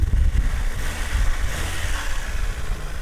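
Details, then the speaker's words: 2000 Honda Civic hatchback, 103,000 miles, first start after sitting five years in the woods; cold start, sticky gas pedal, started right up; low steady idle rumble, no knocks or misses, sounds healthy. "gas pedal's a little sticky but it's running listen to that started right up sounds pretty good sounds pretty healthy"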